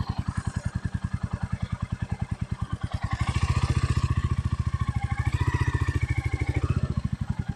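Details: Stolen, abused Royal Enfield Meteor 350 single-cylinder on its first run, testing gear and clutch: steady thump around 210 beats a minute, rising and falling with throttle, no clatter; engine and clutch running fine.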